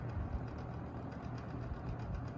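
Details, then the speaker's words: Lakewood P-223 box fan running: steady low drone with a light uneven rattle over the motor hum, an issue of this motor, unlike the S-223 which has no rattle. "a few days ago it's serve rattling like yesterday and the day before that"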